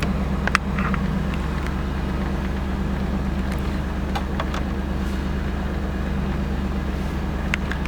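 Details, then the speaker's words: 1988 Camaro IROC 350 TPI, cold engine, check engine light on: lumpy, uneven V8 idle about three pulses a second, and it stumbles when revved. Replacing the distributor ignition control module cured the miss; ignition misfire at idle. "everything seems to be good except for the light being on but it is misfiring as well I'll rev it up and you can listen to it stumble so it doesn't want to rev up"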